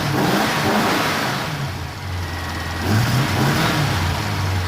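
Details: 1973 Rover P6 3.5 V8 started on choke after replacing a failed two-year-old starter relay: the engine catches and settles into a steady burble, then revs up and back down cleanly with no misfire or stumble.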